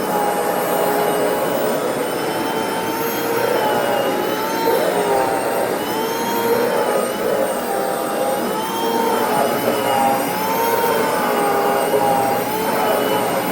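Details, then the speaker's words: Hoover FH52110 Smart Wash carpet cleaner, six months old: loud motor drone with rough wavering grinding whine surging and sagging, vibration felt in handle; later burning smell, intermittent, then lost power. "Lord okay I can actually feel a vibration in the handle when you hear that grinding sound see okay here's an update I tried to use it a little bit more and uh it just uh continue to make that kind of grindy noise"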